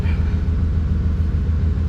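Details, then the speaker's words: 1992 OBS Chevy truck just after fuel pump and fuel level sender replacement: starts and settles into even, steady low rumble, no misses, stumbles or knocks; pump and fuel gauge working; normal idle. "So it looks like we got a working pump, looks like we got a working fuel quantity gauge."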